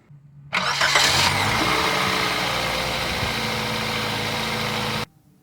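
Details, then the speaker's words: 2017 Toyota Corolla after replacing a bad starter that would not engage: short crank, engine catches quickly and settles into a smooth even idle without grinding or clicking; start is working. "the start is working."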